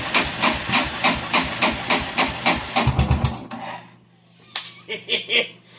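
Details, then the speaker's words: Kawasaki Prairie 400 ATV during repair, after carburetor work and battery charging: fast rhythmic cranking about three strokes a second, then catches into a low steady idle with a few blips; hard, slow starting. "I was about to give up right then and it started"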